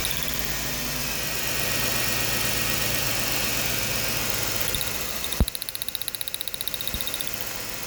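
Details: Ford Taurus, spark checked on cylinder 6 at steady idle: a sharp snap, then an even run of crisp spark ticks, roughly six a second; normal spark, even firing, unlike misfiring cylinder 5.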